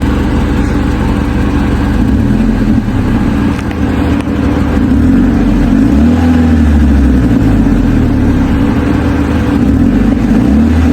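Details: Mazda 3 with an exhaust leak: engine revved up and down through several revs with a loud, raspy, sporty note from gas escaping early.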